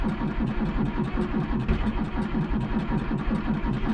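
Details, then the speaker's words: John Deere 3140 diesel tractor in snow, cranked cold via a hot-wired starter button: slow even starter chug, about two and a half beats a second, no catch; hard cold start, long cranking. "It's a little cold natured."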